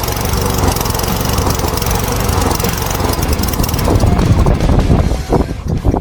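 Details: Poulan P3416 34cc chainsaw with new Hipa carburetor: holds a fast even buzz without surging or stalling, then winds down when switched off; runs healthy after repair.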